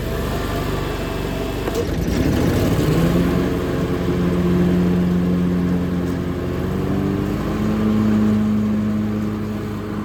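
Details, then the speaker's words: Hustler FastTrack SDX mower started with heavier X-blade setup: engine drone dips as blades engage, then settles into a deeper, labouring hum showing the extra energy needed to spin the blades. "we're going to start the machine with the blades on so you can listen and hear the differ between how much uh more energy it takes to spin those blades"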